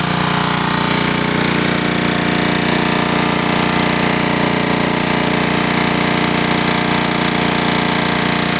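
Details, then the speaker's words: 2000 W generator engine running on woodgas, unloaded at raised RPM; on woodgas it delivers only about 1000 W. A fast, steady, even drone with a quick regular beat, running high and smooth. "you can hear the RPMs much higher and as I said previously about a thousand watts is all this before with this engine"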